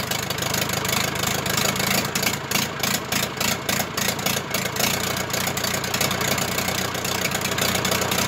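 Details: Zetor Crystal 8011 tractor diesel, first start after engine rebuild: heavy clatter at a fairly steady idle with an even beat, no misfires or knocks; normal idle.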